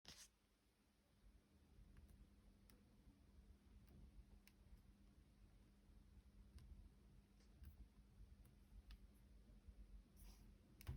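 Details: 2-day-old 2021 MacBook Pro 14-inch: faint sharp clicks every second or so as the hand touches the palm rest; palm rest creaking/clicking.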